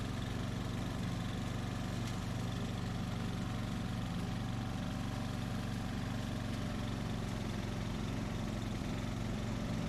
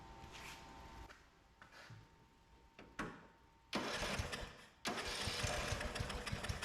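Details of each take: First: 2004 Craftsman 30-inch mid-engine riding mower built by Murray, after a new piston and connecting rod and a kill-wire short fix, mowing: steady fast single-cylinder thump under load, no rattle or knock; normal running. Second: 2004 Craftsman (Murray-built) 30-inch mid-engine lawnmower, free curbside find, first run after the kill-system coil ground was disabled for no spark; cranks, catches, runs loud and choppy; owner suspects carburettor issues, plans carb cleaning.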